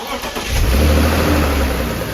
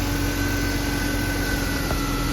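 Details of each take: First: BMW E36 M3 engine catching and revving briefly with a sharp speed-linked tick from one cylinder area, not the belt or exhaust manifold; loose plug ticking. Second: BMW E36 M3 after fixing a ticking/thumping noise by tightening a loose spark plug to spec: smooth, even idle with steady hum and no tapping or thumping, running normally.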